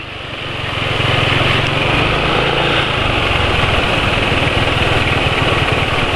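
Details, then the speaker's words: Motorcycle running on Kendall GT1 oil with Sabrina cooking oil added: steady single-cylinder idle with fast, somewhat uneven patter about four beats a second; quieter than other bikes but fairly rough, owner plans switching to Mesran oil. "Suaranya kayak begini masih lebih senyap dari motor lain tapi ya ini lumayan kasar lah"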